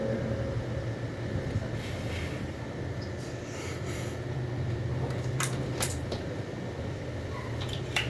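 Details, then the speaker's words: Computer/UPS (nobreak) cooling fan that was making a loud noise, tested after cleaning; not seized, apparently just dirt: soft, steady low hum, no rattle, ticking or scraping, only faint handling clicks; normal fan operation. "o cooler não tava travando tá aparentemente era só sugeira mesmo"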